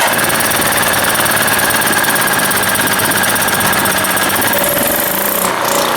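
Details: Small blue generator after draining fuel and confirming flow at the fuel valve, started with choke: loud, steady small-engine clatter at one even speed, no stumbling or surging; running normally.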